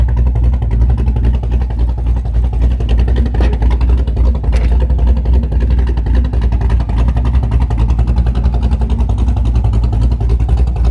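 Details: Camaro V8 just fitted with Summit Racing Max EFI-500 fuel injection, fuel pressure about 35-40 psi, IAC-controlled idle (about 900-970 rpm when carbureted): deep loping, choppy big-cam rumble, idle drifting slightly; running healthy.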